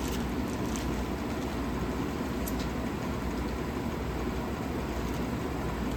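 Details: 1956 Fedders Weather Bureau 6,000 BTU window air conditioner with Tecumseh compressor, rewired and running: smooth, even hum with a steady low drone and no knocks or rattles. It sounds healthy.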